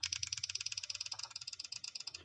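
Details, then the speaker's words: Passive buzzer switched below about 30–35 Hz: sharp dry clicks roughly fourteen a second, no steady tone; it only sounds a note at higher switching frequency, clicking identifies a passive buzzer. "लेकिन ये regular sound यहाँ पे produce नहीं करेगा। इस तरह की click की अगर आपको आवाज़ आए किसी बजर में तो वो आपका पैसिव बजर है।"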